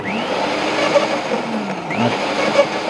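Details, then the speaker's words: LawnMaster Quiet Garden Shredder 2800W running with the blade-to-plate gap adjusted by lever: steady electric whirr with a light, continuous gritty scrape. The slight grinding means the blade and plate are at the correct gap. "you just need to hear that little bit of a grinding noise that means that the blade and the plate are at the perfect Gap in order to get a good performance from the cut"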